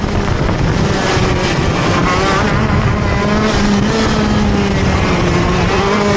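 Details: TM Racing KZ-R1 two-stroke go-kart engine on track; raspy note rises and falls through corners, revs faltering off the turn instead of picking up cleanly: engine bogs on acceleration out of corners.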